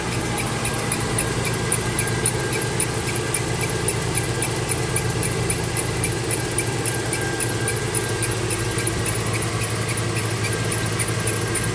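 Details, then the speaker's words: Mercedes-Benz at idle with fast regular high-pitched chirping from the accessory drive, persisting after replacing the tensioner, pulleys and belt; source unidentified, accessory drive squeak. "like i said i changed all the tensioner i changed the pulley i changed the belt still hear the same noise i have no idea what else to do"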